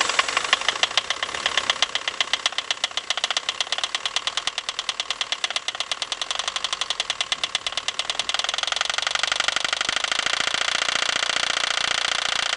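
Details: End-of-life PSA 2.1 turbo diesel with a leaking Lucas Epic injection pump, just after a difficult start aided by petrol sprayed into the intake: sharp, rapid metallic knocks over a thin, hard-running engine. Cause not confirmed.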